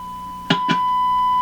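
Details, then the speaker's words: Hallicrafters SX-122 receiver signal tracing, generator at 1 MHz, probe on antenna input wires: two sharp clicks as probe touches, then clean steady mid-pitched tone; test signal present at antenna input. "where are we at frequency wise we're at a million there million here we should hear it there it is we hear it without even touching"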